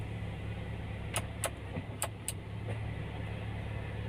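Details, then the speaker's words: 2005 Honda Jazz, used-car check with the engine idling and AC switched on after a normal start; AC blows cold: quiet, smooth idle hum holding steady with a few light clicks; normal idle with air conditioning on. "ya kita hidupkan mesinnya artinya kondisi starternya normal ya teman-teman ya mesinnya nggak ada masalah terus kita hidupkan AC"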